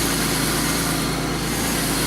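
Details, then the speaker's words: 2001 Pontiac Bonneville after wheel bearing work, with earlier cylinder 5 misfire and suspected ignition module/low voltage: steady, even idle, smooth low hum with no stumble or skipped beats. Normal idle. "so well that sucker sounds good that's my favorite problem all the time good all for now"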